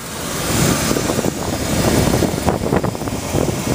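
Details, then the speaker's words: 1989 Lindy 25-foot Class C motorhome on Ford chassis, Ford 460 V8, 47,000 miles, just out of four to five years' storage, new battery: loud rough idle with a sharp puffing tick tracking firing pulses; small exhaust leak. "s and starts right up battery's good we put a new battery in it and but you can hear it's got a little bit of an exhaust leak"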